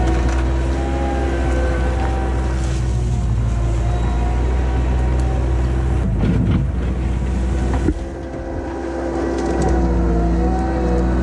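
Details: 1999 Bobcat 864 tracked skid steer test-digging with a rebuilt right-side drive motor, replacing one that had grown weak and whined: steady low diesel drone, brief load dip, digging clatter; track drive pulls evenly, working normally.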